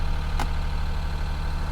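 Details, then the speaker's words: Copart salvage car with 305,000 miles and mismatched aftermarket wheels, idling: a deep, steady rumble with one brief tick near the start. There are a few weird noises of unclear cause, but it runs with no check engine light. "you know she runs there's a few weird noises"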